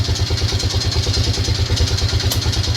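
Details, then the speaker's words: Yamaha Grizzly 600 ATV; the engine had previously been apart: a steady thumping cold idle, throttle left alone until it warms, with a quick clattery tick of about nine a second riding on top. Internal engine noise, cause unknown. "Y'all hear that? I know one thing, I'm not touching the throttle till it gets warmed up. So comment down below if you've got if you've got experience with these things, what you think that noise is."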